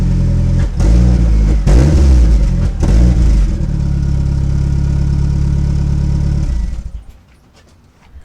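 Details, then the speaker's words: Before-repair exhaust on a car whose muffler and twisted piping were crushed driving over parking lot entries, elbow hanging low, heat burning the rear bumper: loud, raspy, uneven blips then rough blatty idle from the damaged, leaking muffler. "So as you can tell, it doesn't sound too hot. It sounds kind of crappy."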